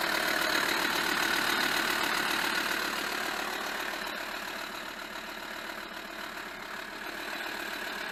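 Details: VW Touareg 2.5 R5 TDI 174bhp diesel, 4Motion manual, about 400,000 km, cold start: regular sharp clatter and slightly uneven beat as it settles, with smoke; rough idle from bad injectors, worsening over the last 100,000 km.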